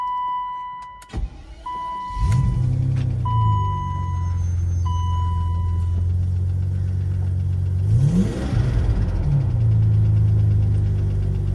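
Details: 1991 BMW 850i E31 V12, still cold, sat for months, ABS lights on: cranks, catches, uneven lumpy idle, surges when blipped, some top-end tick, possibly lifters; rough cold idle.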